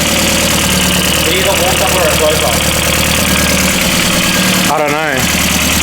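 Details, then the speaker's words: Barn-find Mk4 VW Golf GTI, first start after about 10 years off the road, engine cold: rough idle with busy uneven metallic clatter from the top end; owner fears no oil pressure, maybe needs longer running. "sounds like it has like no oil pressure. It sounds like there's a skeleton, you know, rattling on the top of end."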